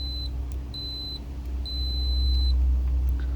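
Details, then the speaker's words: Multimeter continuity test with an alligator clip on one end of a wire and the positive probe on the other: clear high-pitched beeps each time the circuit closes, over a low rumble, showing the wire is intact, not broken. "so doing both would actually make the buzzing noise which is called the continuity test"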